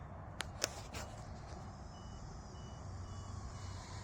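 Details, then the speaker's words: RC Cub airplane in flight a couple of minutes in, after a prop strike: a faint thin beep repeating over wind and propeller hiss, likely the battery low-voltage alarm set to 3.6, suspected not confirmed. "yeah I hear it beeping again yeah it's weird it's still beeping"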